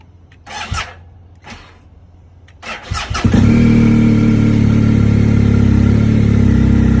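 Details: 2020 BMW R1250 GS Adventure after a dealer update, with the stock battery confirmed good. Cold start at about 21°F outside and 37° in the garage: several seconds of stuttering cranking with weak firing bursts before it catches. Hard start persists, cause unconfirmed.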